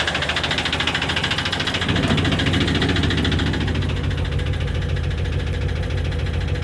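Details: Chevy 350 5.7 L V8 idling with fast steady metallic clicking over a rough diesel-like rumble, started after the intake manifold gasket was replaced; attributed to low lubrication.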